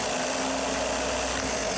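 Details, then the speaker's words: Starter system on a demonstration board, meter on the start wire, which should read about 9–10 V while cranking: steady, busy electric whir with a faint tone and no grinding or catching; starter spinning evenly under load. "you may get 10 even 9 because the starter is consuming a lot of the voltage when I turn it over so let's watch the meter"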